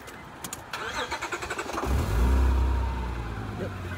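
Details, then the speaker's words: 2003 Honda Odyssey 3.5L V-tech engine after an ignition coil pack change: short crank, then it fires and holds a steady, even hum; smooth idle with no shaking, normal. "nice and that's smooth it's nice and smooth the engine is not shaking"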